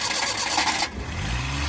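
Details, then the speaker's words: Suzuki F5 engine after new cylinder head gasket, valve seals and valves, head bolts torqued to about 70 and timing checked at top dead center: short crank, catches within a second, settles to even steady idle; normal start. "Ito na nga mga ka-Indel, dahil umi-start na siya no, pwede na natin i-break in, i-active na natin sa Tagaytay no, subukan natin."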